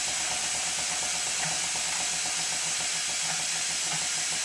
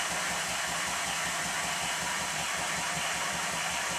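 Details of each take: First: Minnie-type model traction engine test-run on compressed air: a constant high airy hiss that never lets up, from an air leak somewhere near the cylinder; the regulator also doesn't close fully. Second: Minnie-type model traction engine, previously fired boiler, test-run on compressed air despite excessive crankshaft side play (connecting rod stops crank web hitting bulkhead) still to fix: quick even exhaust beat, light steady gear rattle, no knocking; runs very well, normal.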